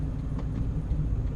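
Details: 7.3 truck after new shocks, steering stabilizer and new tires: steady low road rumble with no knocking, humming, grunting or clunking from front end; quiet normal ride, previous front noise gone.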